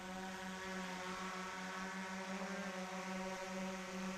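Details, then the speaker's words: DJI Mavic Pro Platinum hovering about 30 feet up, recorded on a GoPro Hero 8: steady, even, soft low hum with no wavering or rattle, quieter and more pleasant than a Skydio 2; normal prop noise. "Clearly more pleasant to listen to. It's less distracting and annoying to anyone around you."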